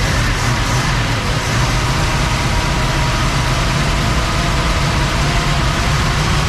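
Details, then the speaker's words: 1961 Cadillac V8 after carburetor vacuum lines and new points, timing possibly slightly retarded: deep, steady rumble with an even beat and no misses or knocks; runs smooth. Normal running. "Okay, she runs. There she is. What do you think of that? I Sounds like pretty it. good. Yeah, runs good. Smooth."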